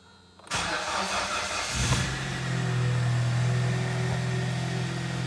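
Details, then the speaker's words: Hyundai i30, 195,000 km, after a full engine overhaul for a heavy diesel-like knock and oil consumption, first start heard from inside the car: it catches at once into a smooth, steady idle with an even low hum and no knock or tapping. "никаких посторонних шумов браков куда ключевого сны слышите сейчас выйдете послушайте так работает ровно никаких нареканий с"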